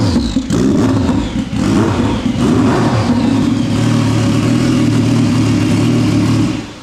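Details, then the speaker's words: Fully built turbo Sea-Doo engine, intercooler and piping kit freshly installed, first run: strong, even revving with steady firing and a rising whir, no misses or knocks, then shut off; runs healthy. "[Music] Sounds good. All right. Well, we got some heat in the turbo now."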